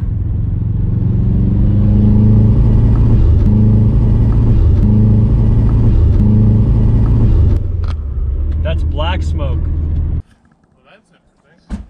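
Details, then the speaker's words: Subaru WRX project while driving on boost, only reaching about 5 psi, black exhaust smoke: steady deep drone pulling hard then dropping to idle, no knocks; running way too rich under boost, owner suspects bad wastegate, unconfirmed. "that looks black what does that mean way too rich way too rich now that would make sense if your car was drying to pump a whole bunch of extra fuel in because it was anticipating boost and the boost was not materializing"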